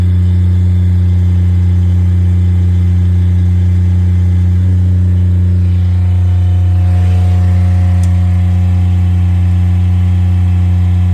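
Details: Miller Bobcat 200 Air Pak diesel welder-compressor, previously locked up by rust and water entering the intake through a faulty valve, starting after repair: steady, even diesel drone at a constant low note with no knocks or misses. It runs smoothly.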